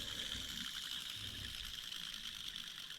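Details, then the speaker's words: NB Mazda Miata during timing belt and water pump job: a timing belt pulley spun by hand gives a steady, gritty, hissing rasp from a worn, rough bearing, suspected as part of the problem. "Bearing shouldn't sound like that. So that might have been part of our problem."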